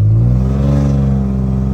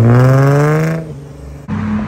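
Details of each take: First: Infiniti G35 coupe while driving: loud raspy deep drone building under throttle with coarse uneven bark from an exhaust leak; muffler not fully on, flex pipes later replaced. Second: Infiniti G35 coupe after replacing flex pipes and Y-pipe to fix a bad exhaust leak that caught fire (small hole still unfixed): engine revs up and falls cleanly, deep even exhaust note, no ticking or puffing. Normal exhaust note.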